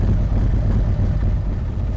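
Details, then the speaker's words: 2023 Harley-Davidson Street Glide ST Stage 2 (CR483 cam, Bassani header, ThunderMax) during idle tune warming to 180°: deep lumpy but steady V-twin idle, no knocks or ticks; AFR and closed-loop gauges dancing where they should, normal idle with cam lope. "If you'll notice, everything is dancing right where it should be. This is going to be a really, really good running bike."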